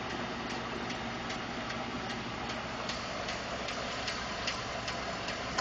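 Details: 2012 Ford F150 5.0 V8, warm after running a while: smooth idle with a light, steady tick about twice a second; owner was told it may be normal injector, fuel pump or tolerance noise, not confirmed.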